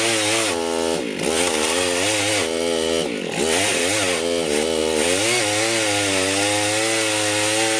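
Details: Rebuilt Husqvarna 51 chainsaw cutting a tree: crisp, high two-stroke wail bogs slightly and recovers cleanly as it bites; pulls strongly under load, owner unsure the bar oiler works.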